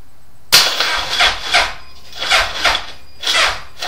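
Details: 2002 Suzuki Hayabusa, 8k miles, two new batteries, 12-13 V at rest dropping to 7-8 V when cranking with plugs in, clutch in: laboured, slow, uneven starter surges about twice a second, never catching.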